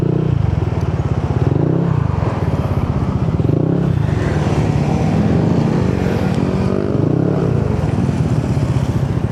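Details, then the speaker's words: Yamaha Nmax with 4S1M Street Core V3 pipe after the missing fibre wool was added and the welding fixed: steady, even idle with smooth blips and the loud tinny rattle mostly gone. Normal exhaust note. "Wala na masyadong ayun na yung kalansing na malakas. Parang medyo okay na siya."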